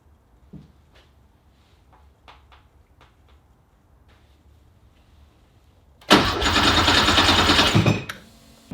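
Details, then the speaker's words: Porsche with a Subaru EZ30R flat-six swap that won't start. Light clicks, then a couple of seconds of steady cranking with no catch. The ignition voltage to the ECU drops while cranking, so the engine won't fire. "okay it's the next day and man I've had such a hard time getting this thing to to fire every time I would crank it well nothing would happen basically"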